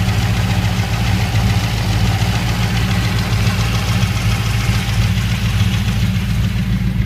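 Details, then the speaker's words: 1979 GMC K1500 Chevy 350 V8, warm, idling just above base speed. A light, even, rapid ticking/knocking tap is heard evenly everywhere, only once warmed up, and is worst just above idle. Readjusting the lifters didn't help; the cause is unknown. "Starting to hear that mountain sound a little bit. Kind of a light tap. Hear it just about everywhere evenly."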